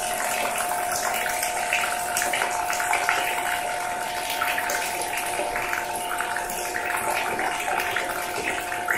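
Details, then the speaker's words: Narpump rechargeable water jug pump running: steady fairly loud hum with constant mid-pitched tone and water rushing, even throughout; normal pump noise, acceptable by day but loud at night. "yüksek olduğu söyleniyor şöyle gündüz çok sıkıntı değil açık söylemek gerekirse"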